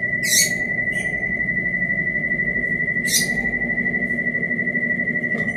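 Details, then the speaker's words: Brastemp Ative 11 kg BWL11 washing machine spinning washed rugs; steady high whistle over the drum rumble throughout the spin with brief hissy bursts, source unidentified; whistling noise during spin. "Olha o barulho. Ela tá centrifugando os tapetes que eu lavei."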